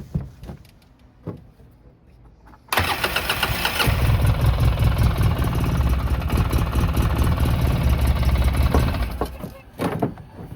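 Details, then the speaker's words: 2009 Polaris RZR 800 parked about five years, first start attempt: brief crank, catches and runs roughly about six seconds, then dies when given a little gas; starts but won't stay running. "I gave it a little bit of gas and it turned off."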